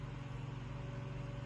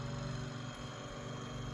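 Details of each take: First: Room Essentials Velocity F-0411 four-inch single-speed desk fan at switch-on: spins up quickly into a soft, steady hum with a gentle even pulse and no rattle or wobble, typical fan noise, normal running. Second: Room Essentials Velocity F-0411 one-speed desk fan (March 2011), after running a while: steady hum with a faint pulsing rub about four times a second; owner says not a dry bearing, maybe rotor rubbing stator or a loose blade.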